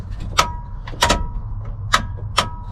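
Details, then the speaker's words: 1968 Ford F100 small-block, revived after 13 years in a junkyard, key on: wiper motor makes several sharp irregular metallic clunks with no motor whir, wipers do not move. "Making noises. Yeah, I can hear it going clunk, but it's not doing anything."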